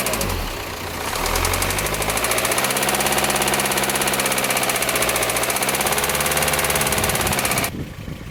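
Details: 2008 VW Passat B6 1.9 TDI, about 121,000 miles, driven 1-2 miles on low oil pressure before oil pump replaced: rapid metallic knock rising with revs, louder under throttle, cutting off sharply; owner suspects rod big-end or main bearing, unconfirmed.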